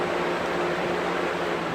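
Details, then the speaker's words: 2012 Galaxy box fan on high speed, dirty and needing cleaning: steady heavy rush of air with low hum underneath, no knocking or rubbing; loud running noise. "I'm gonna start off on high here, so it doesn't fall over. Here's high speed. A little bit on the noisy side."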